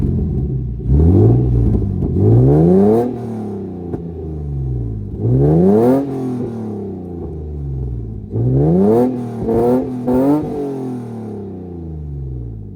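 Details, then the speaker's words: Car fully warmed up after fixing exhaust leak and crooked header bolts: clean throttle blips climbing smoothly and returning to even idle, no ticking or puffing from the exhaust; normal revving. "All right. So, that sounds great. I'm super happy that that's finally over with."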